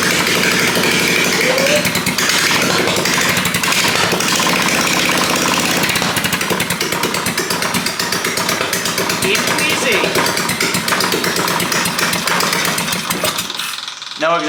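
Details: Half-scale NASCAR Mini Cup race car after carburetor cleaning and reconnecting the fuel pump: loud, harsh, rapid popping bark at a steady fast idle with no muffling, running strongly with no exhaust fitted.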